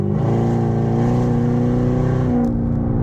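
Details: Car with catalytic converters cut off, check engine light on, accelerating from a stoplight with increasing to heavy throttle: deep, loud, raspy unmuffled exhaust drone rising under load.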